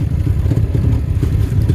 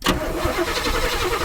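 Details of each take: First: 1976 Chevy C30 dually V8, revived after decades sitting, after being moved: steady, even low idle rumble with no misfire or knocking, then shuts off cleanly; the motor runs good. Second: 1976 Chevy C30 dually former roofing truck, V8, sat under an oak tree for decades: starter churns the engine over steadily with gas pumped and ignition on, no catch or firing; cranks but won't start, needs starting fluid.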